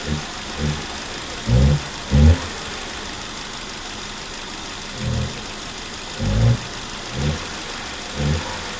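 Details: Hyundai Accent with company-fitted CNG: a rough idle broken by irregular low thuds; cylinder 2 misfiring from a faulty number-2 injector.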